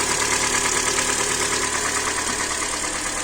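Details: Hyundai Elantra (about 2014–15), 1.8 aluminium G4NB engine, automatic, 51,000 on the odometer. Warm idle with a regular light internal knock, about three per second, that began after a start in hard frost. Cause not yet found.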